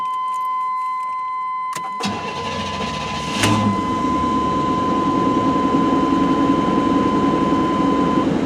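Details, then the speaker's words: Cold start of a largely original 1989 Chevy C1500 two-wheel drive with a 350 V8 and 700R4, 101K miles; chime, short crank, catches cleanly into smooth even idle; 50 psi oil pressure, charging, no check engine light; normal. "Good oil pressure. We've got 50 pounds of oil pressure. It's charging. Everything's working. I mean, no check engine light. Just a great running pickup."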